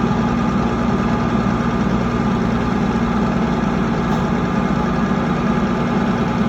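Rough diesel idle with an uneven, lumpy beat of about three pulses a second and a shake underneath, consistent with a misfiring cylinder.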